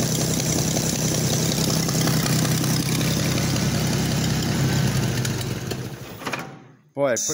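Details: Oliver 880 tractor unrun about 23 years, running only with choke pulled out, dies when choke pushed in despite float raised: rough idle with loud raspy puffing about four per second, then stalls; exhaust manifold leak.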